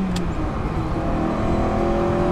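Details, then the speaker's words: Ferrari 308 in second gear, full throttle from 3,000 rpm: a thin whistle climbs with revs from about 4,000 rpm over the engine roar; not intake-related (occurs with airbox open), owner suspects a bearing or belts. "from about four thousand it makes a strange whistling noise see if you can hear it so we're in second gear 3000 revs foot down"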